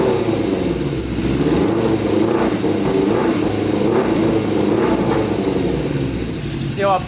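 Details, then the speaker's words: Custom Yamaha Banshee with Suzuki Katana 600cc engine swap on pod filters: revs sag and stumble unevenly, loading up and bogging as a hand over the carburetor starves air and richens the mixture. "out that's from running too rich so my hands over the carburetor and uh it's not getting enough air obviously the mixture becomes more rich and doesn't run properly"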